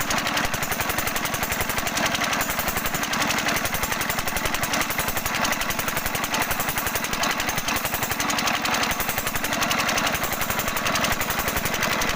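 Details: 5 HP diesel engine running steadily with hard, fast, regular knocking on every firing stroke, louder than normal; injector nozzle adjustment suspected, not confirmed.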